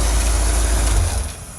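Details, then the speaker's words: Corvette idling in freezing cold on non-ethanol 91 octane fuel, now starting readily: low, even rumble with no misses, knocks or stumbles; running really good, purring. "She's actually running really good, guys. She's just sitting here purring."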